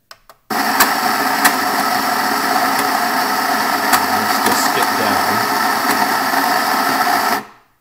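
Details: Baratza Vario grinder full of beans with various ceramic burrs: harsh, rough grinding roar with sharp cracks; fine setting lever jumps down; cause unknown.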